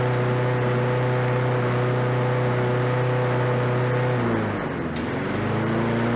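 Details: Roadside-discarded Lawn-Boy 21-inch self-propelled walk-behind mower, revived on fresh gas, low compression felt: steady hum at even speed with one brief dip and quick recovery near four seconds; running normally.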